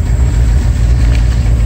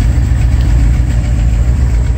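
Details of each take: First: Mercedes V8 settles into low, steady idle after cleaning the front air control valve, high idle fixed; a miss remains and exhaust problems noted; normal idle speed. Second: 1980s Mercedes 380SL V8 idling after cleaning the air control valve fixed its high idle: deep uneven, stumbling beat from a miss in one cylinder; exhaust problems also present.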